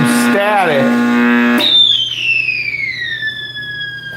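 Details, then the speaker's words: 1960s General Electric black-and-white TV, back off, after the tube was dealt with and the set was plugged back in: a loud, shrill tone sliding down in pitch over static from the speaker; more than the tube is faulty, possibly several issues, cause not found. "So, it was more than just the tube that was wrong with it. Well, that's coming out of the speaker."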